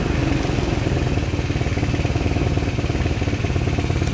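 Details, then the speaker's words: Kids' 125cc Chinese ATV after carb cleaning and a spark plug change, air filter off: small single-cylinder runs steady and even, revving smoothly with no misses, knocks or rattles, much smoother than before; normal running and revving. "that's running a lot better than it was before a lot smoother getting way more RPM out of it"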